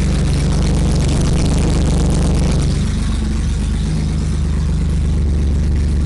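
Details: BMW E30 with swapped M30 engine, first start after two years stored dismantled, exhaust ending at the downpipe: starts on one key turn, steady even idle at a stable 800 rpm with firm regular pulse; normal idle.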